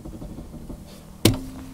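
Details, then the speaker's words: Car on stands, wheel rocked by hand: one sharp dull clunk with clear play in the wheel itself, not the steering column; owner supposes the steering ball joint is worn, with play also at the control arm. "à peine j'ai touché les roues je sais pas si vous entendrez le claque ni si vous voyez bien mais il y a un [ __ ] de jeu là c'est pas la colonne qui tourne c'est vraiment le jeu dans la roue quoi"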